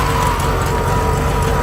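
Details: 1971 VW Bus Deluxe air-cooled engine with rebuilt carb, running rich, choke on top notch: loud, lumpy, uneven rough idle that then dies; owner suspects carb adjustment, generator also noisy.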